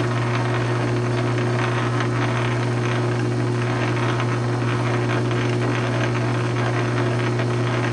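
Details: South Bend 9-inch lathe converted from Model B change gears to Model A quick-change gearbox, slow test thread cut; steady even gear hum with low constant drone, no knocks or clatter, thread pitch correct: normal gearbox running.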